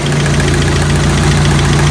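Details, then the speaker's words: 1985 Toyota pickup 22R 2.4 at warm idle after a fuel filter change, radiator leaking: light regular ticking over a low hum. Owner suspects lifters and plans an oil additive; not confirmed. "But it could be a lifter stuff maybe, so I'll get some additive sometime and see if that will help."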